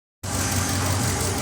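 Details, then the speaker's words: 2022 Ram Hemi V8 at idle: uneven stumbling beat, cylinder 6 misfiring; plugs, wires and coils swapped without fix, noid light showed power and pulse, injector tester showed that injector not actuating; new injector fixed it. "This is really cool. It's a Hemi misfiring uh 22 ram misfiring cylinder 6."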